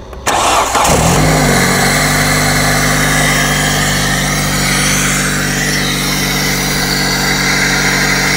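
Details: Hyundai during no-crank diagnosis of the starter and relay: a short crank catches in about a second and settles into a steady, even idle with no stumbling. The engine starts normally.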